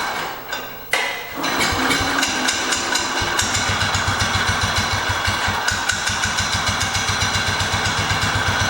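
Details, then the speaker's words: 1968 Cub Cadet 122 with a 12 hp single-cylinder Kohler, taken out for a drive: uneven, lumpy thumping at about three to four beats a second, sounding like it is about to die. The owner suspects the fuel system; cause not confirmed. "let me get that b out of the way and we'll take it out and drive it around sounds like it's dying"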